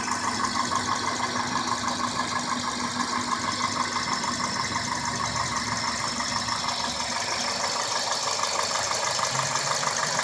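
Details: Idling 2002 Toyota Corolla S with 1ZZ-FE petrol engine: steady light ticking about three clicks a second; owner asks what the ticking or clicking is.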